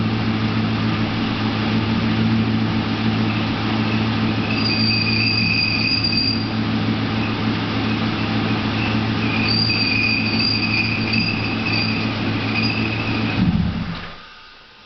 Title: Clutch-related screeching sound (1998 LS1 6-speed)